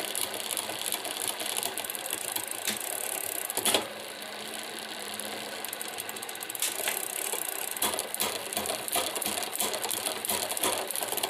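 Light, irregular metallic ticking and chattering while the drivetrain spins, a loose rattle from the rear derailleur area.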